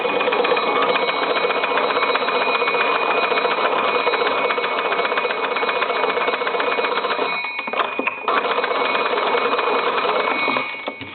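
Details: Kellogg-style old wood wall crank telephone after repair: loud fast continuous metallic bell chatter with bright ringing while the handle is cranked; normal bell ring.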